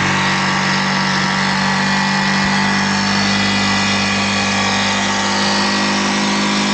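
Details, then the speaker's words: Yamaha YZF R125 under crash-damage rebuild, idling during a check of the road-scraped exhaust: steady single-cylinder idle with constant low hum, no puffing, ticking or popping; no gaps, cracks or leaking fumes, exhaust only needs a new sleeve. "that looks good no gaps or cracks no exhaust fumes coming out where they shouldn't be we are happy here"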